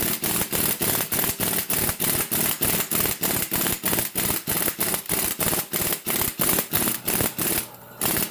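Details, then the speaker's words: Air impact gun seating extended wheel studs on an Integra rear hub: fast even hammering bursts about three a second, pitch shifting near the end as the stud pulls fully home; normal operation. "And then you'll hear the gun actually kind of change in pitch, and you'll see that it's obviously pretty much all the way in."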